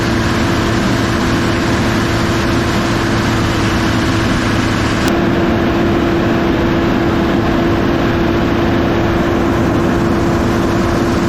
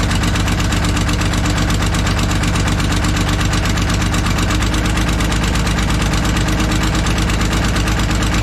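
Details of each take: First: Kobelco SK250 excavator, believed 2006, diesel, after exhaust manifold replacement; strong steady roar at raised revs with constant turbo whistle heard in the cab, now making boost, revs more responsively; smoke is cosmoline burning off; normal high idle. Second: Kobelco SK250 excavator, believed 2006, diesel, before repair: loud rapid ticking puff, nearly three beats a second, over rough idle, no boost; cracked exhaust manifold leaking, manifold to be changed out with new gaskets.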